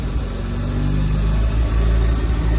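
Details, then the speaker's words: Mazda FD RX-7 on base tune: raised steady throbbing idle, as if being revved; high idle, running rich (AFR near 12), owner suspects throttle position sensor, fuel pressure to be checked. "now it's like you're revving the car which we don't want it just idling this high all the time"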